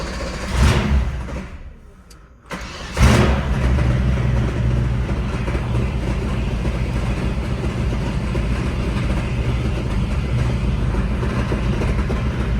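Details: 1976 Mercedes W115 with alloy-block M117 V8 and 722.350 four-speed automatic, before manual swap: cranks, catches and settles into coarse, uneven idle with heavy low rumble; sounds terrible, consistent with loose torque converter-to-flexplate bolts.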